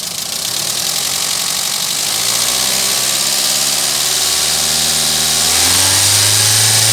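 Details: Toyota Etios engine running with a loud hissy, rattly top-end noise that climbs in pitch as revs rise near the end; abnormal engine noise, source unclear.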